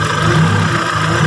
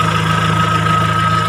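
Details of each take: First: Kia Sephia/Timor DOHC fuel-injected engine idling with CO potentiometer turned below its lowest point: thin, wavering idle sagging and surging every second or so, sounding fuel-starved; lean idle, fixed by raising CO pot until normal. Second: Kia Sephia/Timor DOHC fuel-injected engine after CO potentiometer raised from too lean until the engine sounds normal, most economical setting: smooth, even idle with steady low hum, no misses, knocks or hunting; normal idle.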